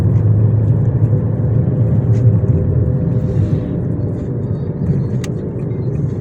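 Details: 2006 Nissan Almera Classic, manual gearbox, while driving: steady low droning hum under road rumble that appeared suddenly; worn front left wheel bearing.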